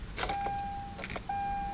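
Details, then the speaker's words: 2011 Kia Sorento key turned: only a steady dash chime and faint key clicks, no starter cranking; a no-crank, no-start that finally started after 7–8 tries. "Here we go again, my car's not starting. Nothing. Nothing."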